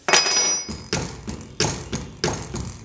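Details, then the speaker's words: Water ram pump after gasket replacement, lubrication and counterweight adjustment, pumping to 90 feet elevation: sharp even clacks about every two-thirds of a second with lighter taps between; waste valve cycling normally. "My waist valve working and clacking away just nicely."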